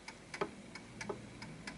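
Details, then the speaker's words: Antique Westminster chiming clock tested before posting: ticks alternate short and long gaps in a limping, one-sided rhythm. The clock is out of beat because it is not sitting at its correct centre of gravity; the fix is nudging it until the tick-tock is even. "It's like more one-sided than the other. So the important thing is to make sure that it ticks just like a proper clock. Every tick-tock, tick-tock, tick-tock. This is slightly off."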